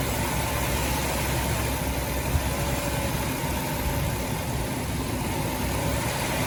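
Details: 2006 Dodge Grand Caravan 3.3 L V6 after water pump replacement (old pump leaked onto belt, failing bearing caused belt squeal and overheating), coolant refilled and bleeding air: steady, even idle hum, no knocks or ticks; normal idle.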